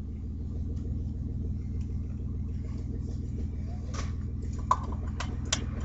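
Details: Audi A4 2.8 12V V6: deep, rough, tractor-like puffing rumble at start and sometimes while accelerating; exhaust leak just after the flex pipe, before the catalytic converter, leaving one bank open.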